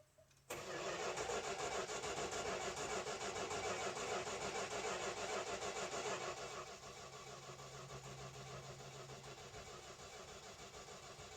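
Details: 1971 Dodge Dart 318 V8 hard start: about six seconds of steady cranking, roughly three turns a second, before it catches and settles to idle; caused by choke setting, later put in the right spot.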